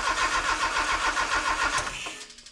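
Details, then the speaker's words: Honda K24 swap in a sandrail, first crank after new engine harness and ECU install, on a jumper with a weak battery: starter spins at five or six pulses a second, coughs once but won't start; idle air temperature sensor and alternator not connected. "It fired once. I heard it. All right. 35 amps. It coughed once."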